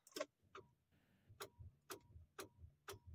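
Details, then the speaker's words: Tata Tiago iCNG, about 8 months old, key on and clutch pressed: sharp single clicks about twice a second, no cranking; car won't start after cutting out while driving at 20 km/h the day before; weak battery suspected. "सन रहे हो गाड़ी में गाड़ी मेरी start ही नहीं हो रही यार पता नहीं क्या हो गया इस कर में"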